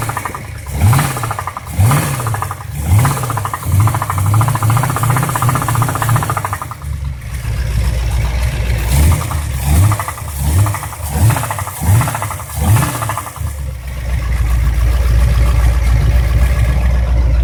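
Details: Ford 351 Cleveland V8 blipped repeatedly then running steadily, with a rough knocking rattle underneath; engine knock.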